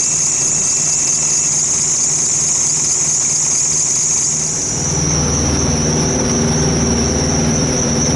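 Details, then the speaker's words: Thermo King APU on a semi truck, diesel idling: a high squeal at startup that drops and fades after about five seconds once the AC clutch engages; owner says it's not the belt, cause unconfirmed. "everything works once it engages and starts running and everything in the AC clutch engages it'll stop making a squealing noise it just doesn't rate at first it's not the belt or nothing"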